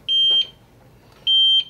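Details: APC ES525 UPS, failed after years of service, under load with a burning smell: two short high-pitched beeps about a second apart in a quiet room, the unit's alarm warning of a fault.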